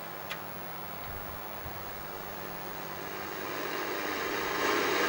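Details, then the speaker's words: ColecoVision before repair, TV audio: constant loud hiss with a faint hum underneath that grows toward the end. The sound adjustment screw in the RF modulator box's top corner was off; adjusting it made the fuzzy snow sound go away. "I was getting that real heavy. And even though the system worked, and I could play the games, it sounded like that. then adjusted the screw. And all that fuzzy snow sound went away."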